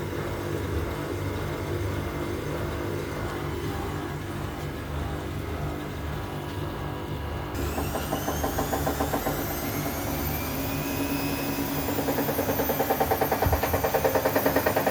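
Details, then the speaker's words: Electronic Dream Blue 6.8 washing machine during spin, tensioners and drum centring already checked; as speed rises, a rising whine and growing rhythmic thumping build; noise occurs empty, not with clothes; abnormal spin noise, cause unknown. "Se escucha el ruido. Eso con ropa no hace ese rollo. Cuando no tiene ropa no hace."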